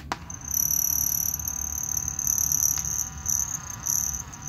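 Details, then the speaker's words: 1971 Philips Model 1530 cassette recorder running on carbon-zinc C cells: steady high whistle and faint rumble over the motor's run, motor noise coming through the speaker. "noisy motor got some oh some noise coming out of the speaker i think i think that's"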